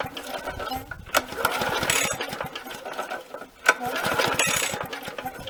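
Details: Victa 375 two-stroke lawnmower, long stored in a shed, run on primer fuel: catches in ragged, uneven bursts with smoke and never settles into a steady run; sputtering, with oil pouring from the muffler.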